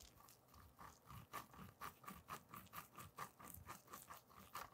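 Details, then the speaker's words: Race Face Next SL cinch crank, BB92 non-drive-side bottom bracket bearing spun by hand, mic close: rough, gritty crunching pulsing about twice a second, balls grinding on worn races; bearing shot, needs replacement. "that you do not want to hear this bearing is totally shot it is literally grinding on the races it's been worn down the balls are probably cubes in there for crying out loud"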